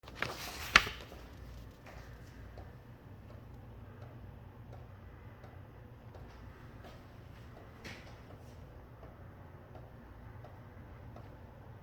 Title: Strange noise from ceiling fan.